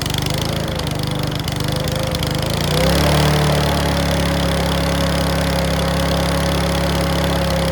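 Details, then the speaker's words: Mountfield V35 150cc mower (HP414, 38cm cut) after a carb clean; settles into a steady run with an uneven, irregular pop and clack. Owner suspects the carb needle needs sorting; possibly low on fuel. Not confirmed. "Yes, that's still popping and clacking. So I think that needle is going to need sorting out."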